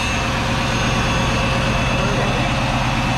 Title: We Got A Runner